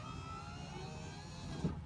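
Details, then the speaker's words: 2005 Honda Civic Hybrid driver's power window, after door panel removal: short, even motor whir at steady pitch, no grinding; the glass now goes all the way down, even on auto. It had stopped partway, apparently from a deteriorating foam block on the panel. "it goes down all the way down even on the automatic setting so I'm relatively happy with that"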